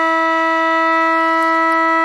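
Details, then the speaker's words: Restored AWA R7077 beat frequency oscillator, circa 1943, with the speaker plugged in: a strong, steady, loud tone holds one pitch without wavering or dropouts. Normal oscillator output tone. "so that's nice and loud and then i'll show you the fluttering and you can see it right there all right so yeah awa big frequency oscillator lives again"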